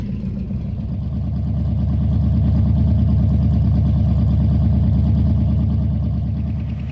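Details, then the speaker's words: Carburetted V8 with newly installed Holley carb, idle after first start: steady idle with regular light tapping about four times a second under the engine note; a bad lifter. "all right you'll have to enjoy this engine here with this uh this bum lifter"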